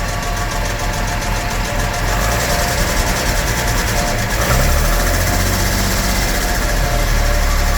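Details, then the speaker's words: 1975 Jaguar XJ6 Series 2 SWB with a reportedly fully rebuilt engine and replaced valve guides, idling: an uneven light top-end rattle over a lumpy idle with a slight miss; valves suspected of needing re-shimming, and it likely needs more tuning. "So guides have been done. I just wonder why it's a little bit rattly."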